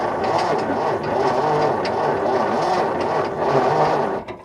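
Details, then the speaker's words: Barn-find Essex-built Ford flathead side-valve V8, sat 30 years, points just cleaned: starter spinning engine steadily about four beats a second to check for consistent spark, no attempt to fire; cranking without firing. "so we're going to now press the starter motor we're not going to try and fire the car but we're trying to going to get consistent spark y see what it's like"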